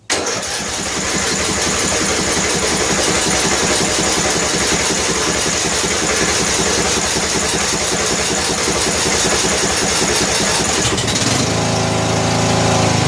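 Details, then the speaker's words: 14 HP Briggs & Stratton engine in a free Murray riding mower, carburetor flooding, oil smelling of gas, started on choke: fires and settles into a steady, even run with a brief change; little backfire, possibly gas in the exhaust. "ah so good sounds good"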